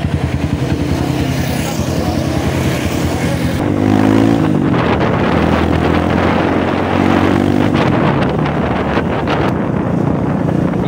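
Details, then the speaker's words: Honda CRF150 after oil-starvation top-end rebuild, after TPS reset; single-cylinder beat stumbles unevenly with loose snoring rasp instead of clean thump, running rough, cause not pinned down; header gasket missing causing exhaust leak. "Medyo hagok siya."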